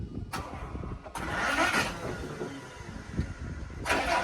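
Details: Truck that would not start on a rainy day, owner assumes a flat battery: starter turns the engine over in short bursts but it never fires; cranking, no start.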